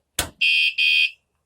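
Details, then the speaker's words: wsdcam 113dB waterproof vibration alarm zip-tied to motorcycle rear frame, armed (second beep); one sharp knock then two short high chirps, about a third of a second each, as bike is bumped. Warning chirp working as intended. "now let's say you just moved it another warning and you move it again"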